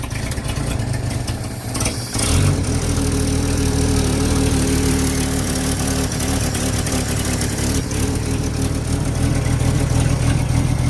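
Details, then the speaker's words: 1950 Chevy coupe, 216 inline six with low pressure oiling, choke fixed with 3D-printed part working; quick blip then even, steady idle with no knocks or misses, smoothing as it warms; normal warm idle. "Doesn't this thing run nice? Yeah, it sounds much better now. It does."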